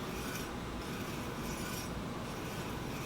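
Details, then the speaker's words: Heybike e-bike front disc brake after truing the caliper to the rotor, wheel spinning free: a soft, steady rasping hiss as the pad still lightly rubs, before backing off the adjustment. "now you can hear it's still rubbing but it's rubbing because we've now trued the rotor to the caliper"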